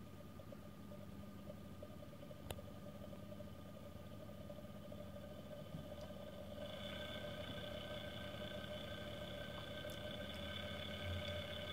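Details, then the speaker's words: 220 V induction motor on open-loop drive at a constant 12 V from SLA batteries, speed changed by pot, drawing more current at low speed: steady hum whose whine steps up and settles at the new speed. "so yeah literally as you change your potbelly you just make it go faster and slower"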